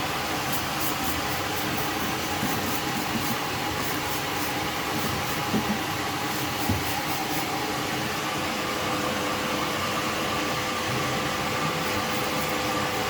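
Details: Alfa Romeo Spider after its exhaust leak was fixed: the engine runs evenly and steadily with a smooth continuous note and no puffing or ticking from the exhaust; normal engine running.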